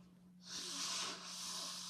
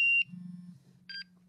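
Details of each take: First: MSA Altair 4X multigas detector after breaths into the unit, oxygen reading down to about 18.6–18.8%: quick, shrill, stepping beeps; low oxygen alarm tripped, stays latched until reset with the up button. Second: MSA Altair 4X multigas detector switching on: short high chirp, then a brief two-tone beep a second later as it shows maker, model and software and checks its sensors; normal power-on sequence.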